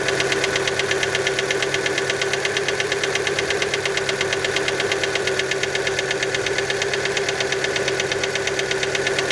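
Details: Fiat Panda engine just after cold start: sharp regular ticking knock at roughly 100 a minute over the cold idle; origin unconfirmed, many suspect piston skirt.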